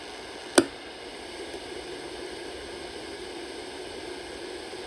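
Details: Channel Master 6514 portable radio from about 1960, 6 V DC, made by Sanyo; after recapping, a signal tracer probe on the audio amplifier collector gives a click, then a faint steady hiss, blamed on a bad germanium driver transistor (2S44).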